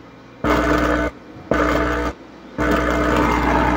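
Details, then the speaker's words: Sakura AV 735 amplifier with no DC out hums loudly in swelling on-off bursts when the A/B inputs are touched while powered; the hum is traced to the amplifier, not the equaliser, as a missing ground, and adding a ground fixes it. "lumalakas lumalakas yung Ugong niya So ibig sabihin mga idol grounding ang problema na to no grounding problem"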